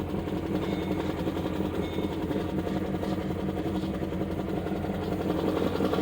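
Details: 2012 Chevy Caprice PPV 6.0 LS V8, cold start, a month after DOD delete, stage 2 cam, new lifters and rockers, no misfire codes; rough idle with light uneven tick from driver's side bank.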